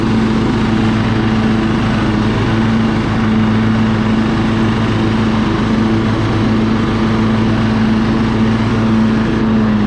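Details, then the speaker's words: Husqvarna LT1538 riding mower, Kohler CV15 single-cylinder, dead battery, manual PTO: after choking and warming, it idles down and runs smooth, with a loud even drone holding one steady pitch and no hunting or surging. Normal steady running. "see little idle down runs good and [Applause] smooth"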